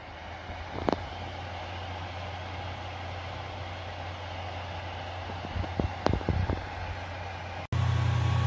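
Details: Ontel Handy Heater Turbo 800 wall-outlet ceramic space heater, a few days old, set to 90, running plugged into a basement wall socket: a steady hum and fan rush, a few handling clicks, then a louder drone. The fan is far from the quiet advertised.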